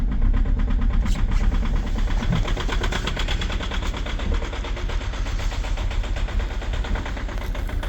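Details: 2.0 HDi diesel with EGR off, extreme cold start at -20.1°C: loud rough rattling knock at fast idle, roughly three per second, over a deep rumble; heavy diesel knock.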